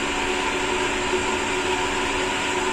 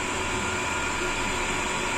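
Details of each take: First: Sanyo/Shimizu jet pump newly installed by another repairman, vertical pipe run: steady motor hum with even hissy, gravelly rush, slight cavitation ("snoring") at full-open flow; discharge throttled back to quiet it, under 20 PSI. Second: Sanyo/Shimizu jet pump, discharge throttled to stop cavitation, under 20 PSI into vertical pipe: steady high-pitched motor hum and rushing water, no rattling or gargling; running smoothly without cavitation.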